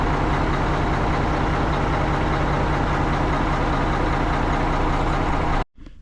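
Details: Tri-axle dump truck diesel after a roughly $5 no-start repair (dead battery diagnosed with a load tester, dielectric grease used), deep even idle with a steady low rumble, no misses or knocks; idling healthily.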